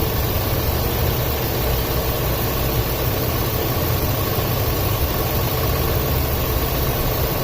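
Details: 2004 Ford F-250 5.4L at idle, code P0306 cylinder 6 misfire after customer fitted new plug and coil; rough lumpy idle, dull low rumble with uneven beat; spark tester showed very weak coil, replacing it cured the misfire.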